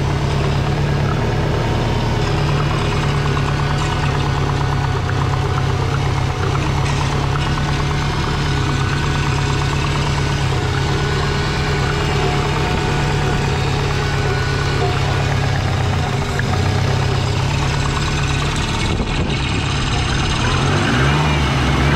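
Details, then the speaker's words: Twin-turbo Subaru idling: a steady deep idle with a quick puffing chuff underneath from an exhaust leak, heard down at the bottom of the car. "Got an exhaust leak. Definitely got an exhaust leak. Could hear it chuffing down the bottom there."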